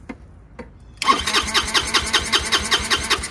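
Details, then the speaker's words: GY6 150cc Chinese scooter with brand-new carburetor at factory settings; starter cranks steadily about two and a half beats per second but never catches because the added fuel shut-off was closed; won't start without priming or starting fluid. "oh fuel is off I added this fuel shut off switch it's actually not going to start unless you prime it or give it some uh help you know with uh starter fluid no it's not going to start"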